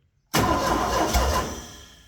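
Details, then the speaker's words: Ford 302 V8 air-compressor hybrid engine (about 300 hours, carburettor reeking of old varnished fuel) cranking fast with ragged firing catches, has ignition but no start, then dies away; oil pressure didn't move; cause not confirmed. "Man, it's It sounds like it even has ignition."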